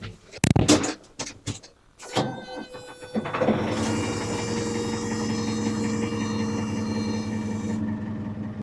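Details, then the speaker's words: Ford 555C backhoe diesel with new charged battery and warm block, cranked with ether: several slow labouring cranks with odd clunks before it catches and runs steady; abnormal cranking noise, cause unknown, owner hopes not the starter. "if you recognize that noise please let me know what's going on hopefully it's not the starter"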